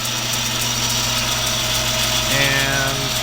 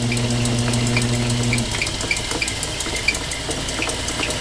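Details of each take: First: Logan 922 metal lathe, 11-inch swing: a sharp light tick about four times a second over a steady motor hum, keeping time with belt travel; the old flat belt splice is slapping the pulleys. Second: Late-1940s/early-1950s Logan 922 metal lathe, 11-inch swing, 36 inches between centers, after resetting the tool bit that caused chatter: steady cut with an even hiss and faint tick, no chatter; smooth lathe cut.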